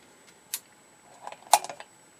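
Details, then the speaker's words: Dumont RA-102 console TV at its third power-up attempt: high voltage kicked in at 9.3 kV with nothing yet on the CRT. A thin, constant, very high-pitched flyback ringing under soft clicks is the normal whine of a working high-voltage supply. "Boy, that ringing is loud. My upper frequency hearing isn't so hot these days, so I can hear it, but some of you cannot really hear it."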